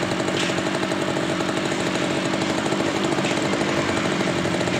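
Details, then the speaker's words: Stihl brush cutter two-stroke that would not start after 100 pulls, retested after carburetor cleaning: steady, even high buzz with no misses or surging; runs normally again. "Ini kita tes kembali. Hidup normal enggak ada masalah."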